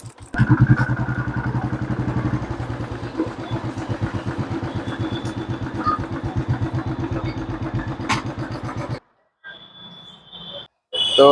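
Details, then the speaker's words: Royal Enfield Classic 350 ridden after front wheel bearings and bearing spacer replaced and part tightened: steady single-cylinder thump with no clunk; the earlier khat-khat knock from the front end, suspected shocker/loose part, is gone. "अब इसके अंदर जो problem थी वोह सही हो चुकी है चलाक मैंने आपको दिखा दिया है कि जो पहले खटखट की आवाज कर रही थी वो अब आवाज इसके अंदर नहीं है"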